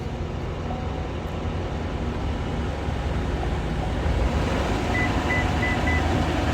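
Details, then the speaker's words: Viair Ultra Duty onboard air compressor on a truck, after fitting a new 20 amp mini breaker and pressure switch, running with the engine idled up so it pumps faster from higher voltage: a steady, even pumping drone with a few high beeps; normal operation. "It does pump faster when it's idled up, just because the voltage is higher. I do hear the compressor going. I do have the compressor going."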